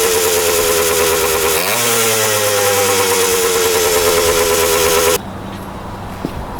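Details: 1977 Kawasaki KE100 two-stroke enduro after carb float height change, running without air filter: crisp steady idle after a throttle blip, no top-end knock, bottom end sounds healthy.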